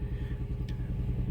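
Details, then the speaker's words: Cold 2005 Toyota Tacoma with code P0301 and a very unstable idle: a low, lumpy idle with uneven thumps and a shaky rhythm, engine visibly shaking, with the scan tool counting misfires on cylinder 1. Cylinder misfire. "Y si pueden fijarse Miren el uno miren miren ahí está la falla ve el motor como está temblando para que puedan ver vean comoo tiema el agua"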